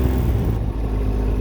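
Low, even engine drone on light throttle with a smooth belt-drive whir and no knocks or slipping; runs healthy pulling away.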